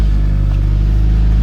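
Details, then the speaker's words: 2006 Mitsubishi Eclipse after clock spring replacement, engine idling: turning the wheel brings no clicking or rubbing and cruise control now works; airbag light still on. Clock spring now quiet, no noise when turning the wheel. "we don't hear that sound anymore."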